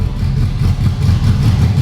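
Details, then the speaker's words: Rebuilt ex-rental Ferrari F430 V8 running with no exhaust, coolant topped up, trying to reach temperature: loud raw idle with lumpy uneven beat and dropped pulses; a couple of cylinders not firing, misfire. "Sounds terrible. Yeah, it's just missing a bit, or it's on a... Yeah, there's a couple cylinders which ain't firing there."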